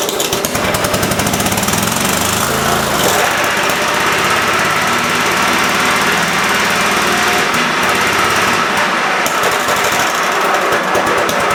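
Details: Cub Cadet mower engine after carb screw refit, PTO engaged spinning blades; loud, choppy beat keeps breaking up and surging under load. Owner suspects a leaking fuel solenoid sucking air or a bad coil; unconfirmed.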